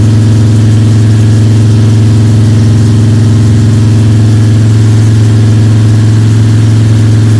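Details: Freshly built Ford 302 Cleveland V8 with Holley Sniper and new electronic distributor, first start, fast idle during cam break-in (~10–15 min), timing around 31°: deep, steady, even smooth drone, no ticking or rattles; normal high idle.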